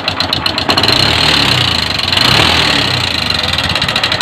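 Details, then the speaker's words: Honda CB125 single-cylinder in neutral, overhauled over a year ago, idles with loud rattly top-end clatter; teardown found worn camshaft bearings and a loose cam chain tensioner. "Ayan mga pre ah ito CB 125 tamang-tama nakakapasok pa si Pare ah paparinig ko sa inyo andar at para Ganon pa rin magkaroon tayo ng idea At sasabihin ko sa inyo sira nito start natin naka neutral na oh"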